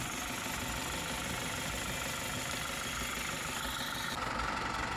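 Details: Isuzu D-Max 4HJ1 diesel after low-budget rebuild following overheating no-start, injectors bled: even idle with light steady clatter, no misses or knocks; starts on one click, healthy.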